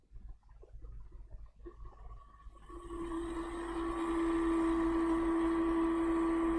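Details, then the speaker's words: HP PS-4241-1HD power supply under repair, supply itself working: after switch-on a hum rises to a sharp constant drone with faint regular flutter; the seized cooling fan is noisy and needs checking. "As you can hear it, it is making noise. We need to check the fan."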